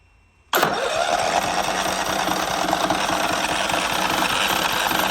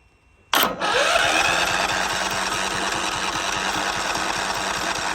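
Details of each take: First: John Deere LT155 lawn mower, after no-crank, no-start and stalling after five seconds, choke applied: catches at once and settles into a steady, even chug with no misses or knocking; running normally. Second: John Deere LT155 mower with a no-crank issue that earlier ran about 5 seconds and quit, started with choke; it catches with a burst, then putters unevenly and never settles. The owner suspects the flywheel magnets.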